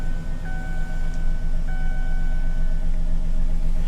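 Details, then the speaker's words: V6 car with 163,000 miles, cabin chimes audible: low, even rumble with steady beat and no knocks or misses; normal healthy idle. "163,000 miles on the clock. But we'll put the key in real quick. It does run good."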